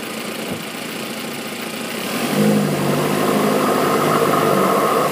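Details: Audi A3 2.0T FSI BPY, stock K03S turbo: steady hollow howl, unlike turbo spool, only under load with throttle open, started in cold winter weather; launch control believed to hold about 1300 rpm; source unknown, engine performs normally.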